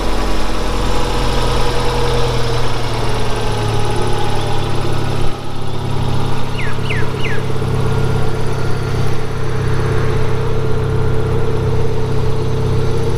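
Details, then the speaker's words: Toyota 3SGE on standard cams before Kelford 262° cam upgrade: smooth steady idle around 800 rpm with even pulse, no lumpiness or tapping; healthy stock idle. "all right that's the standard Odle and it's sitting it around 800 RPM"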